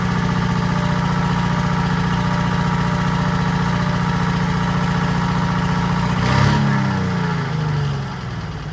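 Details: 1940s Allis Chalmers D5/HD5 crawler, two-stroke Detroit 271 diesel after long storage, normal idle: steady even clatter, regular firing, then brief blip; sounds good but smokes, owner suspects injector, plans replacing it.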